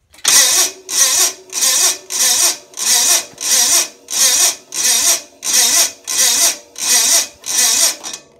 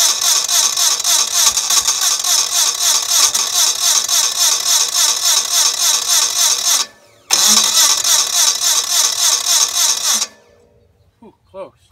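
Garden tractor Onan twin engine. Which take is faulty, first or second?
first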